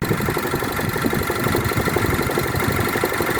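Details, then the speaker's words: Volvo XC90 petrol engine idling with a dull, uneven knock about four times a second from the flywheel, which was not replaced when the clutch was changed; owner says the flywheel should have been changed with the clutch. "replace the flywheel when you change the clutch I didn't I decided this try to save a bit of money and I didn't and then that happened so change the flywheel guys"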